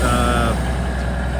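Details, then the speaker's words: Kenworth twin-steer truck idling high because the PT fuel pump is tight, with a constant airy hiss from a leaking dump valve on the front axle. The relay valve was fixed last night because the brakes were not getting full air pressure. "a dump valve on the front axle leaking air as you can hear I fix the relay valve last night on it"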